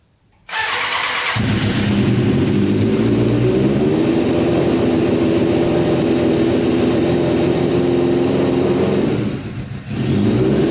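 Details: Custom Yamaha Banshee with Suzuki Katana 600cc engine, before Stage 4 rejet, pod filters on: rough uneven revving, stumbling and dipping; bogs rich when hand covers carburetor, runs lean with filters off; needs rejetting.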